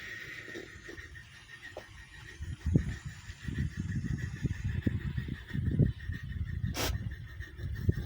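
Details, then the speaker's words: Coal-fired Quarry Hunslet model steam loco on rolling road, anthracite, first run after 18 months idle, turning over at about scale 6 mph; external blower pipe pops and fizzes softly over a faint hiss from condensation, blower running normally. "you can hear the sound of the blower as the pipe is external it pops and fizzes a bit with condensation"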